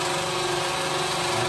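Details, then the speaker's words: Deltic 55009 Napier diesel locomotive, before start with fuel rack tripped: even, steady electric whirr of constant pitch as the electric fuel pump primes for about a minute; normal priming run. "Now that's a noise I've heard from outside the engine, not knowing exactly what it was. Yeah, it's the fuel pump. It's the fuel pump being primed by the electric, and that's the electric, that process."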